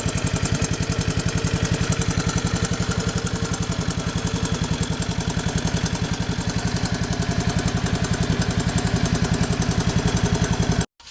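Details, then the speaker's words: Honda 185S three-wheeler idling after an oil change that quieted a previously loud engine tap: an even single-cylinder thump at about 3.5 beats a second with only a light top-end tick; healthy idle. "i'm gonna go ahead and crank it up and let it idle a minute and then i'm gonna check it again see if it uses any"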